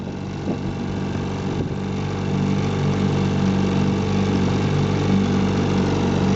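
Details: 1958 Johnson CD-15 5.5 hp outboard, restored with new coils, carb kit, fuel lines and impeller; a steady, even two-stroke drone under load with no misses or knocks. Normal running.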